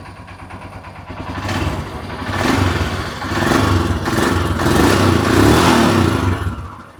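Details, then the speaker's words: Royal Enfield Himalayan single-cylinder engine, just started after the camshaft and rocker arms were replaced with original parts; the timing chain was not changed. A few even throttle blips, with no tapping or rattle from the top end; quiet, healthy idle. "എന്തായാലും വണ്ടി നല്ല silent ആണ് കേട്ടോ നല്ല silent ആണ് വണ്ടി വേറെ യാതൊരുവിധ അലപ്പ് സൗണ്ടുകൾ ഒന്നുമില്ല"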